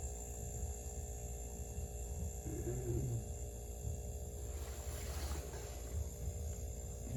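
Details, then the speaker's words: RCA 5.1 cu ft chest freezer that wouldn't stay running after defrost and moving: after replacing the broken starter relay with a QP2-4.7, steady low hum with no clicking off; compressor starts and stays running, still running 30 minutes later. "sounds like it's staying on that's it we'll come back and check it"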